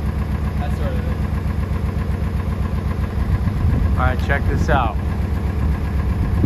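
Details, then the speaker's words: International Scout 80 (1963–65), sat over 10 years, revived and driven; not all cylinders seem to fire: steady low rumble with a rough, uneven exhaust note; owner says something's funky about the exhaust, could be the motor, cause unclear; temperature and oil pressure came up. "Cause it could, there's something funky about the exhaust, but like, I don't know, could be the motor, but temperature gauge came up, oil pressure came up."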